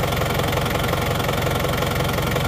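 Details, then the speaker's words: Normal diesel idle after repair on a timing-belt (not gear-driven) diesel with an added digital temperature gauge: even, steady, smooth clatter with no misses or heavy knock. Separately, it won't crank when hot, a weak battery. "kalau Mas mesinnya sih enak banget ya halus rata karena Emang mesinnya ini mesin yang pakai timing bel bukan timing gear ya"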